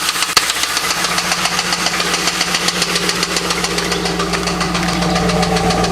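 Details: LS1 V8 heard the night it was bought: steady sharp knock about three or four per second over a smooth idle, a deep bottom-end knock; owner suspects a spun bearing, unconfirmed.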